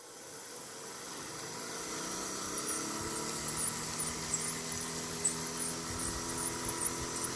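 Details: Sony AV-3400 EIAJ portable reel-to-reel video recorder on rewind: a high chirping squeal that climbs in pitch as the reels spin up, then stops. The transport is squeaking; owner plans to clean and oil it.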